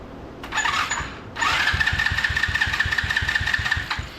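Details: $40 125cc ATV quad retried on fuel alone after briefly running on starting fluid: two bursts of starter whine and uneven churning with no firing; a cranking no-start from a spark plug cap not pushed fully on.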